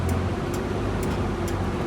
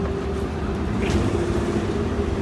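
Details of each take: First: Prevost 35' bus, Detroit 6V92TA diesel, after maintenance; sharp tick about twice a second over the diesel drone from the cooling fan hitting the shroud, which was never screwed down; temperature still low around 140; fan striking shroud. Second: Prevost 35' bus with 6V92TA diesel after maintenance and turbo-side exhaust leak fix, on the road; even deep drone, no puffing or ticking, quieter than before though a small leak remains elsewhere; better pickup; normal running.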